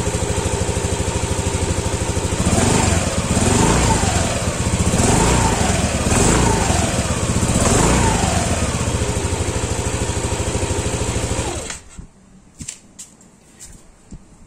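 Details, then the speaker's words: Yamaha Aerox scooter idling after a failed cam chain tensioner was replaced with a homemade manual tensioner: even, steady idle, no sewing-machine clatter from the top end as before; noise fixed. "alhamdulillahiabbil alamin motor saya udah kembali normal ya suaranya gak berisik seperti di awal video"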